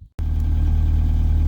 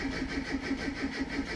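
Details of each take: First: Rover Classic Mini MPI after in-tank fuel pump replacement and battery recharge, about eight or nine litres of fuel in tank; deep, steady, even idle with no misfires or ticks, engine running normally. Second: Classic Mini MPI after in-tank fuel pump swap, about 8–9 litres of fuel, pump heard priming; long rhythmic cranking about four turns a second that never catches; crank no start due to flat battery, started after charging.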